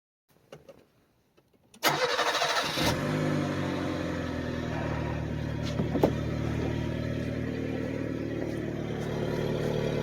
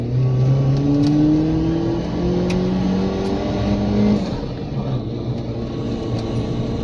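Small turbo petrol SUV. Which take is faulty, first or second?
first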